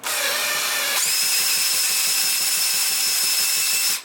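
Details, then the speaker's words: HPI Savage 25 nitro RC truck engine spun by drill via starter attachment, with no fuel and glow plug not yet replaced: high drill whine with quick even ticking, engine turns over freely, not seized. "that sounds like it's turning so that means once I get the glow plug"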